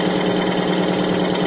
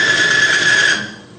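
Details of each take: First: Extreme-pressure friction test of diesel fuel with Bitron treatment, load raised to about 200-250 lb, where plain diesel failed near 50 lb: steady, even hum growing quieter with no scraping or seizing; smooth running under load. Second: Extreme-pressure bearing test with plain diesel fuel only, at about 50 lb of load: harsh rasping with a piercing high squeal for about a second, then dying away as the metal surfaces overheat and weld together. Metal-on-metal grinding from lubrication failure.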